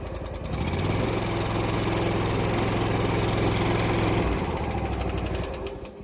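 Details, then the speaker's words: Lawn mower engine chugs with steady tapping about three or four times a second over the exhaust, like loose valve lash; top-end valve noise suspected, possible valve adjustment, not confirmed. "Yeah. Actually sounds like a valve issue to me. We might be able to just do a valve adjustment on this."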